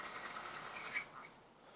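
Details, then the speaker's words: Smail switch machine on a model railway turnout, first test before programming: brief faint whirr ending in a small click as the points snap over, quiet and clean; normal switch motor throw. "so let's turn it on we heard a little tickle when we see the light flash"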